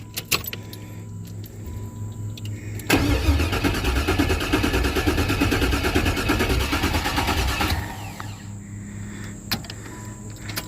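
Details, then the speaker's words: LS-swapped Caprice/Impala V8, starter just freed and reinstalled: steady cranking at about three turns a second for a few seconds, then the starter locks up dead mid-crank; starter seizing, owner says another starter needed. "oh locked right back up another no-go uh had it cranking starter locked back up nothing to it but to get another starter"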